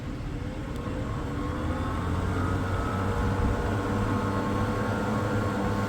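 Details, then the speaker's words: Old rusty, dusty Royal reversible wall fan, probably single-speed, found in storage: steady low hum and rumble with a faint rising whine as it spins up, quite a noisy motor yet reaching speed and not seized, bearings possibly dry. "Quite a noisy motor, but it gets up to speed. It's out of good enough actually still. I'm surprised it's not seized, if anything."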